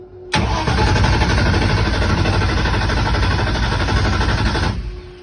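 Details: Mustang drag-racing car with a mechanical fuel pump, fuel just added, cranked on low: steady, fast starter churning for about four seconds with no catch or firing, then it stops; cranks but will not start.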